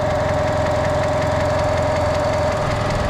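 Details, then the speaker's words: 2010 Kia Forte 2.0L idling just after alternator replacement, battery light now off: a constant thin whine with light ticking from the belt side, which the owner suspects means an idler pulley is needed. "It sound like they need a pulley over there too. Like a idler pulley or something of that noise that I'm hearing."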